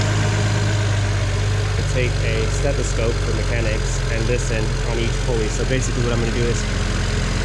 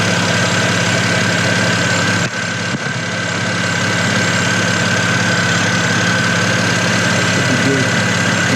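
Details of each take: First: BMW 335i N54 at idle: light, fast metallic ticking from the accessory pulley/tensioner area at the front, worse when revved. A worn pulley is suspected, fixed by replacing three pulleys and the belt with a BMW kit. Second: BMW 335i N54 after replacing three pulleys and the serpentine belt (previously ticking, worse when revved), fan off: smooth steady idle with a faint constant belt whine, no squeal, chirp or tick; pulleys running fine.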